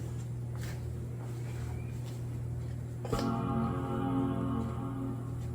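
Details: 2009 iMac after upgrading RAM from 2GB to 8GB, with an SSD fitted: steady low hum, then a single rich sustained startup chime; boots normally with the new RAM.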